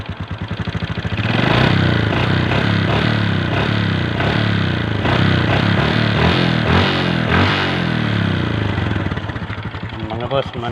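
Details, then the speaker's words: 125 cc motorcycle that was misfiring and stalling, after fitting a new carburettor: it catches and settles into an even, steady idle with no stumbles or skipped firings, no longer misfiring. "Hindi siya kaya kagaya ng palyado."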